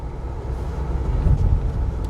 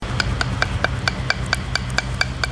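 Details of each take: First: BMW X5 after a full suspension overhaul, driving over uneven patches where worn ball joints and bushes used to knock: a steady low road rumble with no clunks or knocks; suspension now quiet, with alignment straight. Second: ऐसी आवाजें आती है जब आप खराब सस्पेंशन में गाड़ी चलाते हो तो जो आपको अंदर आवाज आती है ना कट कट कट कट तो ये वो आवाज रहती है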